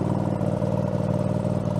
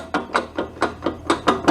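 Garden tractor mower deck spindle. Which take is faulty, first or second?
second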